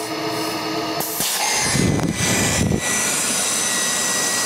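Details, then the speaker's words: GMC Envoy with code P0410, electric secondary air pump running with its outlet tube disconnected after the solenoid/diverter valve: a loud, even airy roar with good flow and no grinding. Normal pump run; struggling when reconnected suggests the diverter valve isn't opening. "I'm pretty sure that's picking up very well on the camera. It's got some real nice flow to it."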